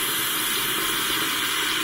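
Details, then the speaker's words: Camplux 10-gallon electric water heater, newly installed and filled with electricity off: steady airy hiss with no rhythm or knocking as air is pushed out until water comes through; normal air purge while the tank fills. "Air just getting pumped out of the water heater. And it's going to do this until it fills up, and then water will come out, and you know it's full."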